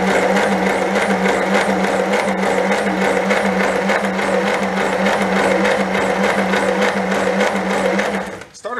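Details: 1930 Plymouth barn find, plugs out and oil down cylinders, turned by starter: even steady whir with quick regular pulse at constant speed, then spins down; starter runs freely, not getting hot.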